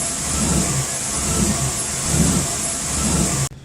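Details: Truck bought for flipping, no AC: idle hunts and surges about once a second with an uneven low beat, unchanged after mass airflow sensor swap; vacuum leak suspected over O2 sensor.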